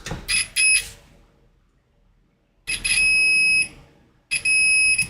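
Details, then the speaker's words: Apple HomePod A1639 with no power, multimeter continuity test on Schottky barrier diode date code 1746K: steady high-pitched beep each time probes touch, in both directions; diode quite shorted. "Yep, quite shorted."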